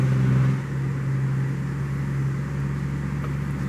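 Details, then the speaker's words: 2005 BMW 645Ci 4.4 L V8 after reseating a not-fully-seated coil connector on the cylinder 6 misfire: in reverse, wheel turned for load and revved, the engine note stays smooth and even with no stumble; fixed, normal running under load. "I'm in reverse and it's smooth as can be. I'm going to turn the wheel, put a little bit of a load, rev it up a little,"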